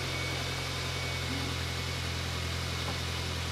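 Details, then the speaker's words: 2006 Mini One R50 Tritec engine first start after timing chain replacement: steady even idle with faint light patter, timing chain rattle gone, sounds healthy. "Sounds okay. So I think we've definitely solved the rattle of the timing chain."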